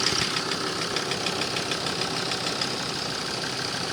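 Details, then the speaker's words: Ford Transit after 25 km of driving: sharp, fairly regular knock about three beats a second at idle that disappears when cylinder three is disconnected; owner suspects that injector has failed or is over-fuelling and detonating. "Вот такой звук появился теперь на холостых."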